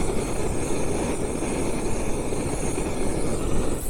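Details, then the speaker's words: Budget camping stove burner in calm air between wind gusts: steady, even roar with no sputter or flutter. The burner is firing cleanly, with normal burner roar. "Can you hear the difference when there's no wind? How it's firing away."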